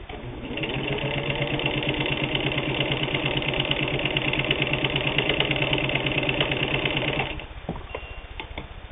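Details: WWII-era Singer 15-91, internal can motor and worm gear drive, sewing thick split leather; fast even needle clatter near three beats a second holding pace, then winding down; plenty of power.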